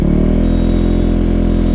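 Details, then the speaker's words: Used KTM 390 (Duke/RC 390 BS4), fully warmed up, in neutral, revs held at 5,500 rpm (idle 2,000): steady, even tone with no surging or dips; a faulty fuel pump would make rpm fluctuate between 5,000 and 3,000, so fuel delivery is healthy. "5.5 पे है ना, 5.5 पे देखो, ये यहीं पे stable रहेगा, ठीक है, हिलेगा नहीं।"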